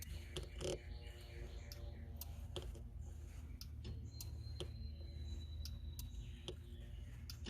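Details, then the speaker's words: Bobcat 773 skid steer, after park brake solenoid replacement and a bent-in limit switch with a worn bracket, engine running: crisp repeatable clicks about twice a second; switch activates over the lever travel, only in reverse. "It still activates over the travel of the lever here. So we can call that good, I believe."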